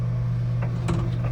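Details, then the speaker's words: Vintage analog photobooth, just off a truck and not yet aligned: single sharp clunk over motor hum as the transmission drive enters its sleeve, which should be silent; misaligned transmission, fix by adjusting the three bolts for height and vertical straightness. "That clunking you hear when this goes into this sleeve, you don't want that. You want that to go in silently so it doesn't bang on it too hard."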